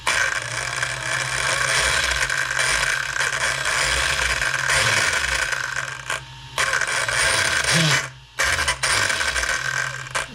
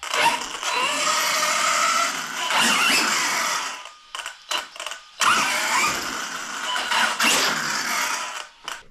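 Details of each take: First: Arrma Kraton 6S 1/8 scale RC truck with all three diffs checked and the center driveshaft wobbly: loud rapid ratcheting clicks over motor whine, cutting out as throttle drops; the center differential drive cup was found loose. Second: Arrma Kraton 1/8 scale 6S RC truck after rear differential replaced with a sturdier one with no play: loud bursts of rising and falling motor whine with gear hiss; the earlier clicking is gone.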